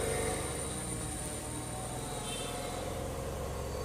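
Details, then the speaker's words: Maruti Celerio CNG at full throttle, customer says it won't rev; engine stays low and flat near 2500 rpm with uneven stumbling, MIL blinking, scan shows misfire on all cylinders, possibly after overheating. "Accelerator not റെസ്പോണ്ടഡിങ് ആണ് കസ്റ്റർ പറഞ്ഞത് വണ്ടി raise ആവില്ലന്ന് കൊണ്ടുവന്നതാണ്"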